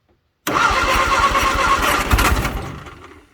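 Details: 1962 Vauxhall Victor, sitting 25 years, after cleaning points and changing coil: slow, uneven cranking on a weak rebuilt starter, nearly catching then dying with smoke; fuel starvation at carburetor, possibly out of gas.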